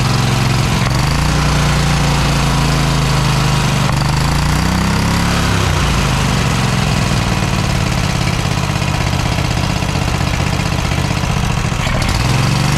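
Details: Cub Cadet XT1 LT46 lawn tractor single-cylinder engine, fresh oil, filter and fuel filter, oil-soaked from a leak: loud running with speed surging every few seconds; governor out of adjustment, owner suspects valves also need adjusting.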